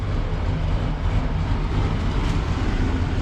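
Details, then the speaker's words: Ford Country Squire wagon at fast idle on a cool day, with steady, slightly lumpy, loping chugging and black smoke; running rich, and the owner suspects the choke is half on. "So, tractor's gone. Car's still chugging away. It looks like it's a little rich back there."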